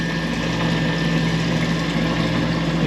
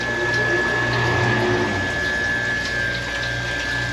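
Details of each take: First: Manitowoc ice machine, freeze cycle: water pump runs with a continuous even hum and trickling water, but water flows out the bottom instead of over the evaporator grid, causing long freeze cycles; tampering by a previous tech suspected. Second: Manitowoc ice machine: steady pump hum with water rushing evenly over the evaporator grid, flow strong, may need throttling; no surging or rattle, normal operation.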